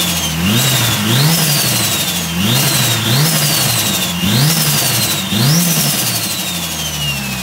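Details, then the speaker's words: Mitsubishi Lancer Evo 5 rebuilt 2.37 stroker 4G63T engine, cold, just after first start: clean repeated rev blips rising and falling smoothly with steady rich idle between; engine very quiet. Normal running after rebuild. "today rego de veau is finally running off through all that work and it's sounding absolutely amazing the engine is quiet as a mass"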